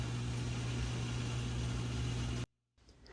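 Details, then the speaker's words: GE dishwasher with suspected stuck-in-drain/FTD error, short drain at start of a wash cycle; steady low electric hum for over two seconds then a clean cutoff, the drain pump running normally. "So it sounds like your drain pump is working, by the way. You can hear it. That's all drain pump."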